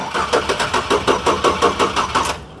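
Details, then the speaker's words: 1956 Chevy Bel Air after a few minutes on a battery charger: strong, even starter cranking at about five or six compression pulses a second, no knocking, but it never fires; no fuel pump heard, owner suspects no fuel. "no it kind it sounds like it wants to go we see it might be like it might not have fuel like the fuel see I don't hear the fuel pump back here"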